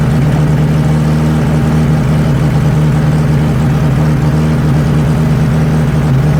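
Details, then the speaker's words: 1963 Nissan Junior four-cylinder ute, sat 15 years, leaking carburetor: low idle with a slightly wavering beat and no clean settle, better on choke. "Well, she runs. Don't want idle though. Seems to be maybe running out of fuel at idle."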